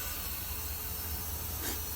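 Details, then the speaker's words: Ford engine leak-down test on cylinder 6, hand over throttle body: low rumble with brief sharp hiss of air escaping, suggesting intake valves hanging open or leaking, though cylinder may be at end of exhaust stroke; cause unconfirmed. "So that tells me that the valves are hanging open, but there again, it could be at the end of the exhaust stroke and the intake valves start to open."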